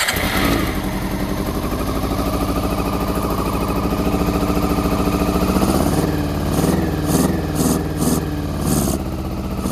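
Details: Honda CBR400RR NC23 inline-four, fuel poured in by hand with starting spray, fuel pump not connected: uneven stumbling idle, weak lumpy beat, brief throttle blips; only cylinders one and two firing, three and four stone cold.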